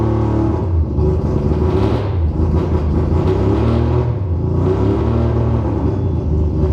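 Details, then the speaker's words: Rebuilt 20B three-rotor engine in an RX-7: rough, lumpy idle with an uneven low rumble and off-beat chuffs; gauge shows it running lean, not getting enough fuel. "it is running lean when it makes those weird noises therefore it's not getting enough fuel"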